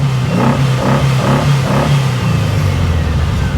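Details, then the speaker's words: 1956 Volkswagen Beetle air-cooled flat-four, rarely driven and sometimes hard to start, just after a cold start: a buzzy, even low idle like a nest of angry hornets, no knocks or misses. Normal idle. "Ah, there she goes. She doesn't get driven much at all, so sometimes she's a little bit hard to start. There she goes."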